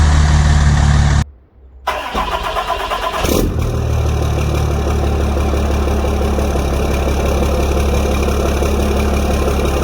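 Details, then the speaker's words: 6.7 Cummins diesel just fitted with a Smeding S369 SXE turbo and refilled with coolant: cranks briefly, catches, then settles into a smooth, even, quiet idle with no knocks or odd noises. "that looks like sounds good that is quiet"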